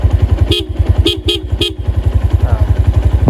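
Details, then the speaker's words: 2012 Honda Tiger Revo, about 5,900 km, recorded roadside: four short, loud, clear horn honks over a steady single-cylinder idle; horn normal. "masih gagah ya suaranya, suara klakson masih gagah."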